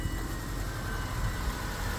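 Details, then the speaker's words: 2003 Subaru Outback after AC compressor clutch bearing and belt replacement, engine idling with AC off: smooth steady idle, no squeal, chirp or rumble from pulleys; clutch not engaged, accessory drive normal. "and everything's spinning nicely and you can see the clutch is not engaged"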